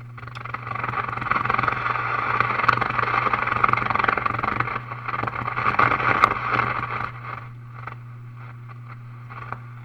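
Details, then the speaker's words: RCA Model 641 vintage tube radio first power-up, no antenna, tuning across stations: steady hiss and crackle over low mains hum, fading near end; cause of noise unknown. "well that's some noise out of the thing I'm turn turning the tuner a station there's a little hetr [Laughter] dining"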